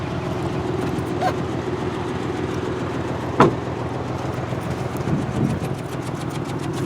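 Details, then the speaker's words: 2003 Honda Accord at 165,348 miles idling unevenly with a stumble and pops; misfire from a dead cylinder, noted as needing the number 5 coil, check engine light flashing. "Car is showing 165,348 miles and a misfire from that one cylinder that's not doing anything. There's our check engine light letting us know that we have a cylinder misfiring."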